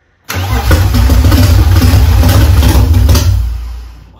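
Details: BMW E36 328i with built M52B30 stroker, custom cams and ITBs, first start: catches and roars briefly then speed sags and dies within about three seconds; fires but won't keep running.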